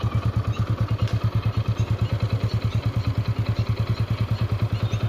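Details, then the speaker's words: Hero Passion Pro after a full engine rebuild and refit of general parts. Quick, even single-cylinder putter with a steady rhythm and no knocks or rattles; healthy, smooth idle. "Sound ఇనండి main గా engine sound main important కాబట్టి sound"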